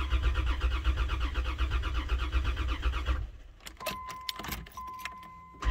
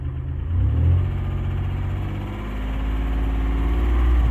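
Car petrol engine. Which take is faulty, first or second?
first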